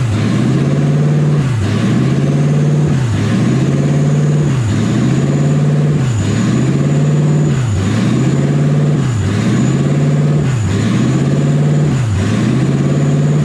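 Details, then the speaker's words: Toyota 1UZ V8 in a Ford Falcon, driving with new exhaust, warm at about 160°F; idle surges and sags about every 1.5 s. "I don't know why idles like that. I need to figure that out. It's a little annoying,"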